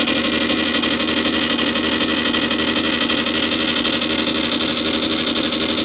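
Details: Columbia Graphophone AH after a motor service in which both dry springs, with powdered grease, were cleaned and re-lubricated, running with no record: even whirring gear chatter with a steady tick about four times a second and no speed hunting. The spring motor runs normally, just noisy.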